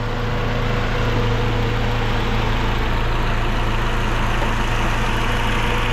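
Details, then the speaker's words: Toyota Vios at idle after the typewriter-ticking repair, with rpm settling down and a check engine light earlier. Steady, even, low hum with no top-end tapping; the typewriter sound is gone and it is ready for a road test. Normal idle. "Tahimik na mga bossing. Wala na yung typewriter na tunog."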